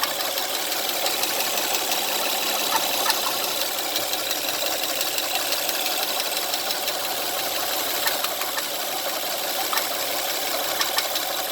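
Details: 2009 Honda Pilot petrol engine at idle with a loud, light fast ticking around three ticks a second, getting louder each day; cause unknown.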